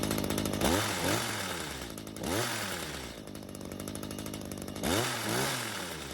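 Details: Stihl two-stroke hedge trimmer, stored with old fuel and wouldn't start. After another quarter turn on the carb L screw and a raised idle speed, it now catches, stays running and snaps up to high revs cleanly: normal running and revving.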